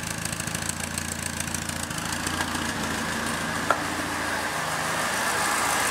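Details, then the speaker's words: Second-hand Triumph Dolomite 1300 engine in a Gentry MG TF Replica, warming up after first start following engine change: steady even idle with light ticking rhythm, no knocks or misses; owner says it sounds really sweet. "Okay, she's warming up nicely now. Most of that oil is burned off. Sounds really sweet."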